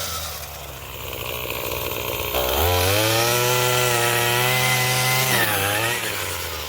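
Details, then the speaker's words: Craftsman 27cc two-stroke string trimmer, made January 2013 and obtained free: it picks up cleanly to a steady high buzz, holds even revs, then drops back smoothly; normal running, it sounds pretty good, though it is smoking. "sounds pretty good. Yeah."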